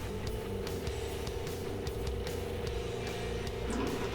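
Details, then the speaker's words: 2011 Isuzu NQR with a DEF failure and a full DEF tank, supply pump actuated by scan tool to check flow and flush old fluid: steady mid-pitched pump hum with no surging or rattling; flow good at 20%. Injector and supply line to be replaced. "so I'm going to take my Texas cancel we're gonna here to my supply pump actuation confirm hit my up arrow I can hear the pump running"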